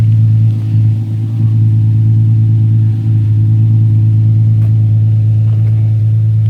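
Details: Infiniti G35 after O2 sensor replacement with thread-chased threads and battery disconnected overnight; deep even exhaust rumble, steady beat, no stumble or miss; back to normal. Normal idle.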